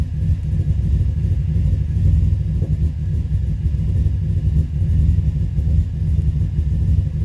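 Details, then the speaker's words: 2005 Subaru Forester XT idle that swells and sags unevenly about every second. It is missing, and a coil was found out. Owner suspects it is running rich and says it hesitates on throttle. Rough idle, cause unconfirmed. "can hear it missing found that coil [Music] out I think it's running rich but when you go to hit the gas it don't want to go"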